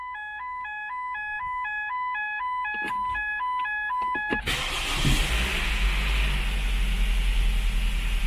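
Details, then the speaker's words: Ford Focus with automatic transmission after fuel pump testing: chime pattern, then the starter catches and the engine settles into a steady, even idle with no stumble; starts and runs normally, rpm fine. "funcionou que foi uma maravilha hein rotação tá beleza tudo funcionando conforme tem que funcionar"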